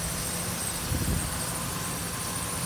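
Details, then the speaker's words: 2008 Ford Ranger XLT 2WD 3.0L V6 5-speed manual, 147K miles, no check engine light or codes, engine bay idle: quiet, smooth idle with soft hiss, no ticking or knocking; healthy engine. "dear how quiet it is no knocking whatsoever is this 3.0 liter v6 engine"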